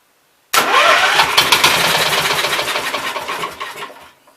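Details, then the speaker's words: 1969 Gravely 432, fired on carb cleaner with choke freed, on a jack: starts from cold and runs seconds with rough rapid tapping, sounds like hammering, cause unknown; engine knock on start. "Sounds like it'll run to me. Let me set some stuff down there. Kind of sounded like it was hammering a little bit though."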